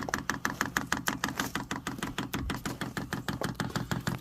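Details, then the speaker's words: Vevor Chinese diesel heater at first start, priming after the down key is held 7 seconds: steady, sharp, moderate ticking about 1.5 pulses per second, quieter than expected. The fuel pump is priming normally. "Oh, there it went. That ticking ain't bad. I thought a lot of videos it sounds like it's just crazy loud."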